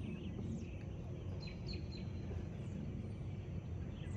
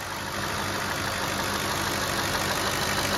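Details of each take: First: 2007 Cadillac DTS with newly replaced power steering pump, tensioner and belt, started right after fluid fill; low idle rumble then steady mid-pitched pump whine from air still in system; quiets once pump takes in fluid. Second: 2007 Cadillac DTS after power steering pump replacement and bleeding, about half quart fluid added, some air bubbles remaining; even idle with smooth steady hiss, no groan or whine; pump now sounds as it should, lines dry.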